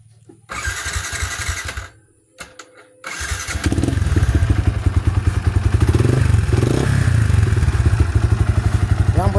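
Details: Yamaha Vixion single-cylinder motorcycle at idle: coarse, uneven thumping engine noise; oil level found normal, piston and block judged in need of replacement, piston slap suspected.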